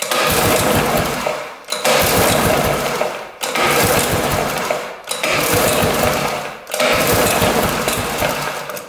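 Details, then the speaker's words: 1960s Ski Daddler snowmobile, spark plug out and cylinder lubed: five rough whirring pull-cord strokes about every two seconds, each smooth throughout, getting easier; engine turns over freely, not seized, spark confirmed. "pulls over pretty good it's getting easier all right I think we're good to go there"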